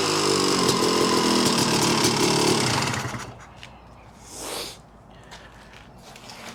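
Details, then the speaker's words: 1986 Yamaha YZ250 two-stroke, unrun since 2015, running on choke with a carb borrowed from another bike: crisp even crackle holding steady a few seconds then shutting off cleanly; strong, healthy running. "Holy cow. What an animal. Well, this one is gonna be fun."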